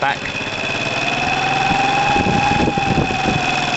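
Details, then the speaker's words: 2012 Piaggio Typhoon scooter with a swapped 125cc engine, first start: idle a bit high with steady whistling and uneven chuffing; a big split in the intake manifold lets too much air in, and covering it makes the engine run better; manifold to be replaced. "there is a big um split here you can see it if i cover it listen to the engine one's better listen and then i'll let it go and listen to the end of red swap listen too much air going in"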